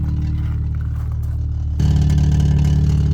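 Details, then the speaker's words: Cheap Volvo S40 engine rumbles, then revs with a coarse metallic rattle in the exhaust note. The intermittent noise is reportedly the pulley, and the rattle is a loose exhaust bracket needing tightening. "The sound's very intermittent, but it'll go like it's basically the pulley, I've been told. And then that rattling is the exhaust."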